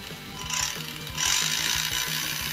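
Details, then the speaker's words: Vintage Tamiya Grasshopper RC car with a 21-turn motor and 18-tooth pinion: high motor whine with quick repeating gearbox clicks when accelerating forward, fine in reverse; the gears look clean, greased and undamaged, cause unfound. "if we go forward you'll be able to hear how loud it is the clicking noise yes it seems to be fine in Reverse but when you're going forward"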